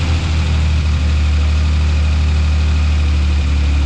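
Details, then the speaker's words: 1946 Hudson Commodore six, first start after head removal and decarbonizing head, pistons and valves for low compression, temporary 12 V battery; low, steady even idle without skips or knocks, oil light off; running well. "man that's great awesome car is actually idling now it's running which is freaking awesome"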